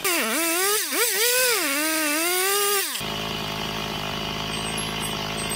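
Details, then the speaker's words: Chainsaw two-stroke, just started: revs swing up and down, then settle into a fast, high idle; owner suspects the stiff-turning crank, needing a few temperature cycles to seat the bearings. "yeah it's running it's idling it's idling a little high but that's because the crank turned so hard in idle it probably needs a few temperature cycles to get the bearings really seated"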